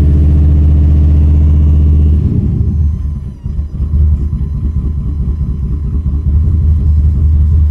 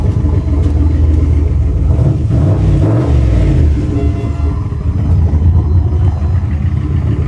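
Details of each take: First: Holley Dominator EFI V8 idling with cylinders 1, 3, 2 and 4 getting no injector pulse, running on about half its cylinders: deep uneven lope with heavy rhythmic thump, note drops and roughens; multi-cylinder misfire, cleared by cycling ECU key power. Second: Holley Dominator EFI V8 after key-cycling ECU power, which restored missing injector pulse on cylinders 1 and 3: deep even burble with one throttle blip, no stumble or skipping; normal idle on all cylinders.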